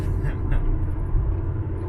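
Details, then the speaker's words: Pontiac Grand Prix on a road test after new valve cover and upper/lower intake gaskets: even road rumble and slight tire hum, no creaks, rattles or knocks, temperatures good; running normally. "to me just the tires rolling they make a little bit of noise but besides that there's no creaks or rattles or any weird noises it's running good"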